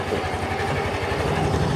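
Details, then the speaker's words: Used 2020 Yamaha Grand Filano Hybrid ABS scooter, 10,000 km, one owner, original: steady, even low putter with no knocks or misses, idle holding level, quiet with no white smoke; healthy idle. "คราวนี้เรามาฟังเสียงเครื่องยนต์กันนะครับว่าเป็นไงกันบ้างนะครับผมเสียงเครื่องเงียบนะครับเดินเบาก็คือนิ่งเลยรถไม่มีควันขาวนะครับ"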